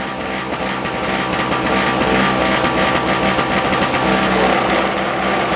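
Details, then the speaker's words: 1970s Nova two-stroke snow blower, possibly a 1973 yard-sale find, running after a spark plug change: loud, buzzy, uneven and choppy at about three pulses per second. Rough running; owner plans carburetor adjustment, cause unconfirmed. "Don't run very well. We'll have to adjust it later."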